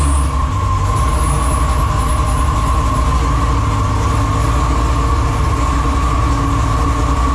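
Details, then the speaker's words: Car engine started with the battery tender connected: a deep steady rumble with a thin constant squeal on top, which the owner blames on an old drive belt he plans to replace. "so now you can hear I got to change the belt on that thing that belt is tweaking I forgot it bel's a little old no it's not a little old all right I don't like the way that belt sounds so we're going to change that"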